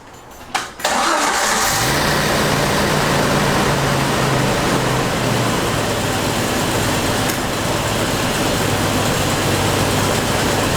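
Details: 1993 Jeep YJ after its failed Crown Automotive fuel pump unit was addressed, fuel pressure now about 40 psi but bleeding off with no check valve: short crank, clean catch, then a smooth steady idle for ten seconds with no stumbling; runs properly.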